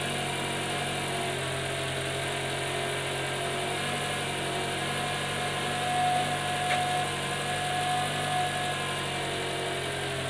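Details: Toyota RAV4 petrol engine idling after alternator fix, now charging almost 14.5 V instead of 9.5 V: smooth even idle with no alternator whine.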